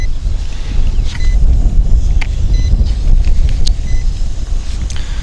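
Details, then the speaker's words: Hubsan X4 H501S Advanced drone in flight: short high beeps repeat about every second under heavy rotor and wind rush, quickening as battery nears 6.5 V; low-battery alarm during first-phase low-voltage auto-landing. "slowly now we can hear the battery is beeping more frequently because it's looks like it's hitting 6.5"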